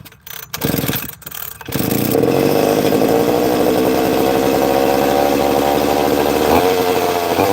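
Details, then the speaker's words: Two-stroke chainsaw started after a few pulls: buzzy, slightly uneven idle that hunts a little and sounds like an air leak, but the trigger was being held in to make it idle; erratic idle. "I know why it sounds like it's got an air leak cuz I wear the bloody I wear the trigger in to make it idle."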